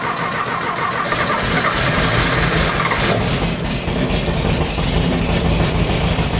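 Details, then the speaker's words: Rebuilt VW 1600cc dual-port engine in a dune buggy, first start. It runs loud with an uneven, hunting beat and revs fine but won't hold idle. Owner suspects the carburetor needs tinkering. "the engine seems to run great all I got is it doesn't want to idle so we'll probably needs a little bit of tinkering inside the carburetor"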